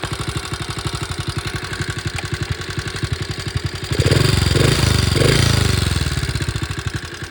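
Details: 1961 Honda 50 Super Cub 50cc single, engine rebuilt from parts in a crate, no battery, electrics unfinished: even putt-putt at about four beats a second, then a clean rise on the throttle; running smoothly.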